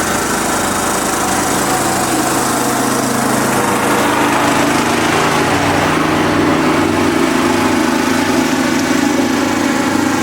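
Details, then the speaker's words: Kubota riding lawnmower engine running after sitting for years, following a sudden noise and shutdown: steady, fairly smooth run with a fast light tick; owner calls it a lifter tick and suspects a slightly bent valve. "Got a horrible lifter tick, which really kind of sucks because the motor is perfect, but I really don't want to spend any money on it."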